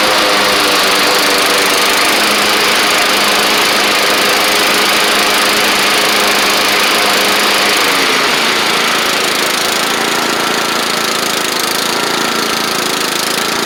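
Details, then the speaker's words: Troy-Bilt Bronco riding mower, Kohler Courage single-cylinder with its carburetor jet drilled out, driven back and forth: steady even running with only a slight hint of surge; healthy. "runs good and uh sometimes it's hard to get these coers to not surge a little bit but this one seems to be okay"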